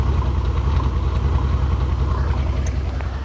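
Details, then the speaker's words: Mercedes R230 SL600 V12 with 100,000 miles, idling: deep rumble turns lumpy and uneven as the engine misfires, with the check engine light flashing, then the misfire stops. "ah it's doing something new it's misfiring listen you can hear it"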